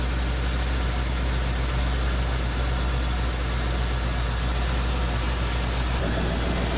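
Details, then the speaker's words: 1968 Pontiac ambulance with an Aces Killshot throttle-body EFI, V8 at raised high idle while warming up: deep, steady rumble, even firing, no misses or knocks. Runs smooth and fantastic; normal high idle. "Listen to how smooth that thing is running. Even at the high idle, it's running just fantastic."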